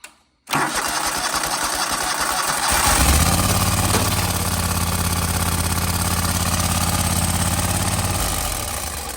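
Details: John Deere 318 with a Kohler 25hp repower, after fitting the starter relay kit and fixing a poor battery connection: about two seconds of strong, even cranking, then the twin fires and runs at a steady idle; starting normally.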